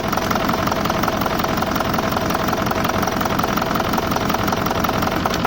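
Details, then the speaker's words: BMW E65 4.4 diesel V8 (242 kW, EDC16C31 ECU) idling with a steady, slightly uneven knock; unplugging this injector makes idle roughen and drop, so it works, but only four of eight injectors (two per bank) are working. "okay yes it's working so that means we did find out then from the eight cylinders so the four cylinders in one side four on another we have two working injectors here and two working injectors there so four of them is not working at all"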